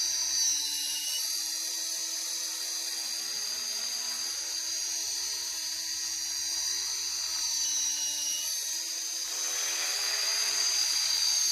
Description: got a very annoying squeaky noise when blipping the throttle